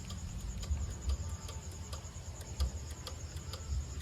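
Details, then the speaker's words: Yamaha NMAX 155 scooter, key on, no check-engine light, brake light working: faint sharp starter relay clicks repeat irregularly with no cranking at all; relay clicks but it won't start, cause still being investigated. "Ayan, mayroon lang. Pumipitik lang ang relay. So hindi po siya mag-start."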